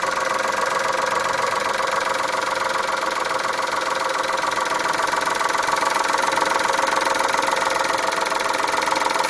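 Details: Chrysler Stratus/Cirrus after timing belt change, warm start on full E85 in cold weather, cold coolant just added after flush: steady idle with a sharp, regular tick riding on top; knock at idle, source unknown.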